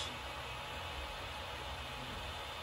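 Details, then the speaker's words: Creality Ender 5 Pro 3D printer powered on: steady airy whoosh with no speed change drowning everything out; main front fan is not speed-adjustable and runs flat out whenever main power is on, while the side fan is controllable. "whereas this main fan on the front is just on anytime the main power is on this fan here runs flat out"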